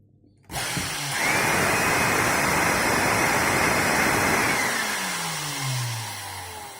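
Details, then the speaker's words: Bosch GAS 18V-LI cordless vacuum repaired by bypassing the failed electronics board (transistor, buttons): steady, even high whoosh with no stutter or grinding, spins down smoothly; motor runs normally. "Все работает без этой платы."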